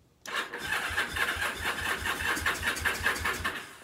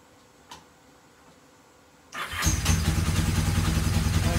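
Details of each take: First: Free Kawasaki KZ750 motorcycle: starter spins the engine at an even beat for a few seconds with no catch. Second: Free, rusty Kawasaki KZ750 revived, fuel just hooked to the carburetors: quiet, then a quick crank and it fires straight up into a fast, even idle with no misses or knocks.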